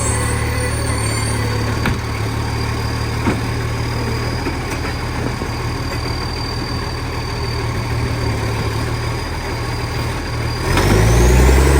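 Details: 2013 West Torrens diesel garbage truck idling and revving: a steady, fast puffing tick of about 220 per minute over the rumble. Big exhaust leak.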